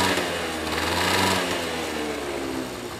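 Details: Honda Dio AF18 two-stroke scooter, taken in as a runner, at fast idle: high, rattly buzz with an uneven clatter. The abnormal noise comes from the engine, possibly the drivetrain; cause unclear.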